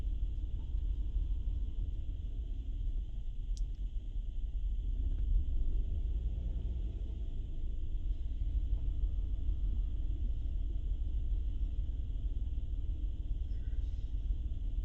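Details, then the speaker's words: 2008 Honda Pilot with stored misfire codes for cylinders 4, 5 and 6: low, loping, stumbling idle. The scanner shows cylinder 5 misfiring rapidly and cylinder 6 close behind; possibly a bad coil or injector, cause unconfirmed. "you can see right away number five is pinning right away and painted pitting really really fast six is right behind it but not that rapid maybe a bad coil maybe a bad injector who knows"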